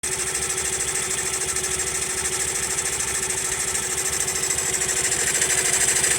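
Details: Honda Monkey idling: rapid ticking rattle over steady single-cylinder idle, unchanged even after tappet (valve clearance) adjustment; abnormal engine noise, source not found.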